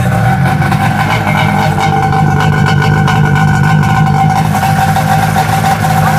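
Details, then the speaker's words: Snowmobile with homemade exhaust can; steady engine drone with a thin constant whistle on top under continuous throttle that stops on let-off; exhaust whistle, cause unclear. "but it's not the same effect like when you have continuous throttle you get that whistling sound then when you let off and it stopp"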